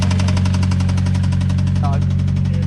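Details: Mitsubishi Evo X 4B11 turbo engine after running low on oil, refilled, idling: heavy regular knocking about ten a second over deep rumble, worse than before despite more oil; suspected low compression, engine needs replacing.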